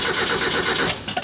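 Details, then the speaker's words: Barn-find Mazda Miata sitting 3 years, aftermarket intake, little fresh gas added: under a second of quick starter churning dying into clicks, no firing; crank no start, owner suspects fuel pump wasn't priming. "all right so that didn't quite work um it it's not just going to crank I'm going to try it again and just put some more gas into it I think I didn't hear the fuel pump priming"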